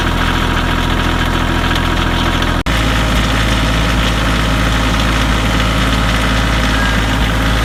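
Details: Kioti CK2510HS diesel tractor on cold start; lumpy, uneven idle with a misfire stumbling through the low rumble, cause unconfirmed; engine misfire on cold start.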